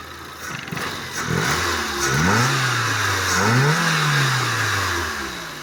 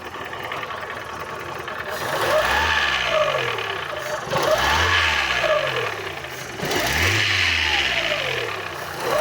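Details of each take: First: Fiat Uno petrol engine after repair of a knocking piston pin: starts and takes a few quick revs, running smoothly with no knocking, as the engine should run. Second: Fiat Uno petrol engine with strange noise and poor running, blipped repeatedly: rough, rapid knock riding on the revs, piston pin knock, before repair.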